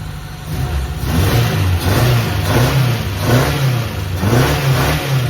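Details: Toyota KE30 Corolla project, first start after fuel-system install, with the too-long flapping belt removed: engine blips up and back down in even sweeps with no belt squeal or chatter, no smoke; revs clean and sounds healthy.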